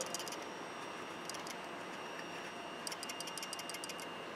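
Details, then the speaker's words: Frigidaire Gallery dishwasher that stopped working, removed electronic control board being shaken: small dry rattle in three bursts; suspected burned relay contacts loose inside the relay, with no visible burn on the board; control board replaced. "can you hear that rattle? I think what it is the contacts are burned up inside the relay."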